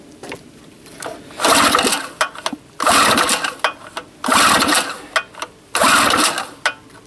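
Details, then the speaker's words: Harbor Freight 800 W generator, small two-stroke, after replacing a blown head gasket with a homemade one: surging in rhythmic bursts about every 1.5 seconds with a sharp puffing hiss; owner suspects an exhaust leak, unconfirmed. "now we have a leak where's our leak sounds like an exhaust leak actually"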